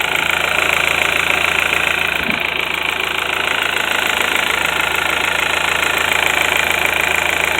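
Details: VW 1.8T engine (1999-2005 Beetle/Golf/Jetta/Passat), warm idle on thin 30-grade oil: fast, light tick from the top end, about three to four a second, from the timing chain tensioner; synthetic oil of proper grade recommended.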